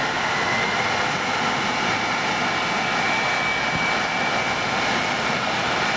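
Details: World Model A hand dryer, General Electric universal motor on the bench, heater not connected: steady, even high airy rush with a faint constant whistle, no grinding or scraping; running healthy.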